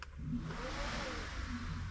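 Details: 2G DSM with a FuelTech-managed 4G63, engine off, during function tests after the burnt engine harness was replaced: steady airy whoosh with a low hum as the radiator fan spins up and runs evenly when commanded.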